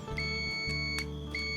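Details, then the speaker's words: Electric drill switch continuity test with a meter: two clear, steady high beeps only while the trigger is held, stopping on release; switch is normal (beeping without pressing would mean the drill runs when plugged in). "ถ้าอาการเสียจุดนี้นะครับเหมือนเราวัดแบบนี้แล้วก็เสียงดังนะครับแสดงว่ามอเตอร์สว่านตัวท่านเสียบปลั๊กแล้วติดเลยนะครับไม่ต้องกดสวิตช์แล้วก็ติดเลยนะครับนี่นะครับนี่คือเป็นสวิตช์ที่ปกตินะครับ"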